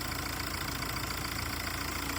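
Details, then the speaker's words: Used diesel car being checked before purchase, engine started and idling: steady even diesel clatter with no uneven beats or extra knocking; engine note judged good quality, normal idle. "இந்த இன்ஜினோட note ரொம்ப முக்கியம். இந்த இன்ஜினோட sound பாருங்க எவ்வளவு குவாலிட்டியா இருக்குன்னு."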